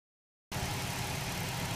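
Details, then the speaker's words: 2010 Dodge Charger 2.7 L V6, owner with a history of mysterious rough idle and stalling: after a brief silence it settles into a smooth, even idle with a steady low hum, no knocks or stumbles, no codes, before the idle air controller is disturbed. "Dodge Charger 2.7 liter v6 but this applies to the other Dodge Charger Chrysler engines 2.73 probably even 5.7 could see it idle good runs good there's no codes on the - no nothing"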